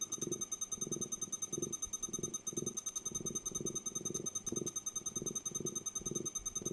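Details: Over-40-year-old Walkman on a plug-in power supply with barely readable display: soft pulsing purr about two and a half throbs per second under a faint whine; owner suspects the power supply can't keep up, unconfirmed.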